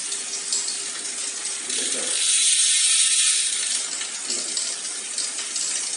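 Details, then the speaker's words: Road bike front derailleur chain rub: a light, fast metallic ticking and scraping as the pedals turn, from the chain brushing the derailleur cage. Fixed by a half-click trim on the left shifter. "Nah, ini kan bunyinya cetring-cetring. Jadi cetringnya itu mepet antara ini ya, FD dengan rantai seperti ini nih."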